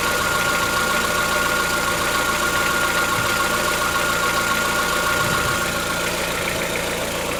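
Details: Chevrolet Onix 1.4, 2014-15, petrol, cold engine at idle: fast light ticking, about three or four per second, over a steady idle, lasting about 10 minutes. Present since 0 km and worsening yearly. Owner suspects a tappet knock, not injectors; cause unconfirmed.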